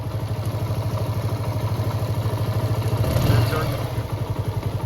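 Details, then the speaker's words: TVS Apache RTR 160 BS4 motorcycle after full engine rebuild for rattling noise, louder off throttle, and white smoke: steady low thumping idle, no throttle, about three pulses a second, no knock or rattle; previous noise fully gone. "अभी ये बिल्कुल slow है अभी race भी नहीं दे रखा हमने कितना मस्त कितना बेहतरीन साउंड आई है इंजन की जरा से भी कोई वो खटखट वाली आवाज नहीं रहा"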